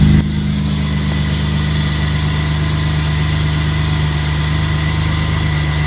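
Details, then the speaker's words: BMW E36 M50 inline-six idling after cold start, following drift-use maintenance with belt tensioner/idler pulley replaced: steady even low hum, no squeal or rattle from the belt area; former pulley noise gone; normal idle. "Ça tourne nickel. Tout a l'air nickel sur la E36."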